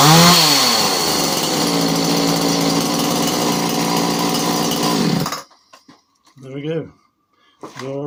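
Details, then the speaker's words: Alpina/Alko Champion 38cc two-stroke chainsaw after carb cleaning, carb high and low screws set 1 1/4 turns out, and tank fuel pipes replaced, started on a bit of choke: revs then runs steady and crisp; normal running. "Bit of choke, I think. That sounds alright."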